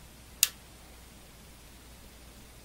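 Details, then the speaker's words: Tektronix TDS 340 oscilloscope: pressing power gives the relay click, then the power supply makes continuous clicking, different from the relay, as it tries but fails to start up. It stops when the button is released. "hear that same click and the power supply sounds like yeah it's making continuous clicking noises different than the relay noises so looks like the thing is trying to start up but it can't"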